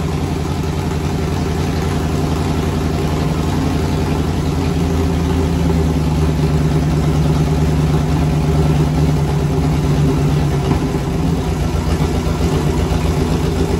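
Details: V8 turbo burnout-car build, first start before turbo fitted, no alternator belt: deep steady burble with a brief mild rise in revs, even firing, no knocks or ticks; running normally.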